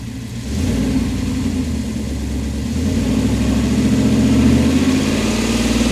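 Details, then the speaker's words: 1997 Dodge Ram 1500 5.9 360 Magnum V8 after harmonic balancer replacement: deep burble climbs smoothly when revved and settles back, no knock, wobble or clatter; owner loves the sound, normal idle and rev. "Oh, we're back. Oh yeah, that is beautiful. Love the way that sounds."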